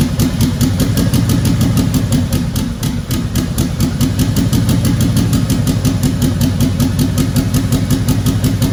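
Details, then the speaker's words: 2004 (or 2003) Mustang Mach 1, possibly a built MMR engine with twin turbos, full fuel system and 4R70: a loud idle with an uneven stumbling beat missing about three pulses a second. The misfire's cause is unknown and the engine was later pulled. "right now it has a misfire unknown reason why I think the motor's built"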